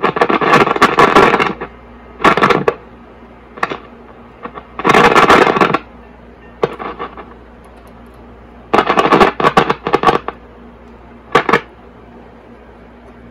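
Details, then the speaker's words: 1952 Zenith Trans-Oceanic H500 tube radio under repair, powered from a bench supply after a bad tube was replaced and with no antenna connected: irregular crackling static over a steady hiss from the speaker, so the audio stage now works. "noise okay let's uh let's hook up an antenna"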